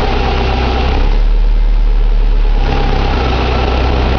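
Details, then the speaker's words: 2006 Subaru Impreza 2.5i EJ257 SOHC naturally aspirated H4 boxer, 52k miles, revved: deep roar rising and falling with a rough, uneven knocking undertone; owner unsure whether a pulley, timing belt bearing, piston slap, tappets or rod knock. "It's making a suspicious noise. I don't know whether it's a pulley or a bearing on maybe the timing belt, or piston slap, or tappet noise, or rod knock. But it sounds like shit."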